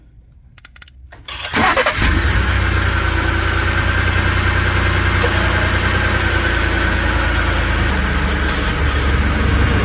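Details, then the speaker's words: 2018 Ford F-150 3.5L EcoBoost cold start: fast, loose metallic rattle from a loose, worn turbo wastegate lever, not the timing set; temporary fix uses a hardware-store spring on the lever. "the other rattle that you hear whenever you're starting it up is a wastegate lever that's right here it uh gets loose and worn and if you reach down in here like this you can hear it it moves back and forth"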